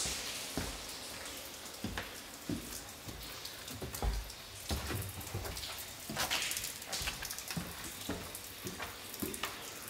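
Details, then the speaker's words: In the basement: irregular patter of drips and splashes, several per second, no motor hum; a burst supply pipe inside the wall, water dripping into the electric boxes. "So in the basement, this is that water line that I heard in the basement, in the wall, and you have water dripping in the electric boxes. I can hear a burst pipe in this wall."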